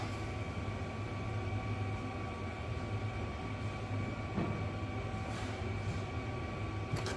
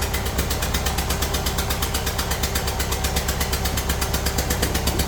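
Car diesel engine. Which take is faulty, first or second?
second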